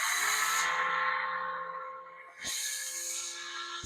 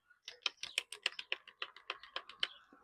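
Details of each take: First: Battery-powered string trimmer, the second, working machine on its own battery: high electric whine spins up quickly, holds steady, then coasts down between trigger pulls; the motor runs properly. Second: Cordless battery edger that stopped working, tested with a fully charged battery: about a dozen sharp dry trigger clicks with no motor hum; the motor does not run although the battery is not dead, and the owner suspects rusty terminals.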